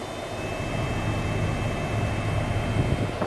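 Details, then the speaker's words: 2007 Toyota Avalon with new blower motor installed, engine running, AC on: steady even rush of air over the idle, no surging or hesitation; normal blower operation after replacement. "hear it and it's blowing so it is blowing how it's supposed to blow no hesitation"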